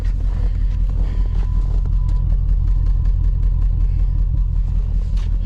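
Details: 2005 Dodge Ram with a swapped Hemi V8, driving in snow while hauling wood. A deep rumble with an uneven stumbling beat about two to three per second: a misfire on cylinder 3, worse as it warms up.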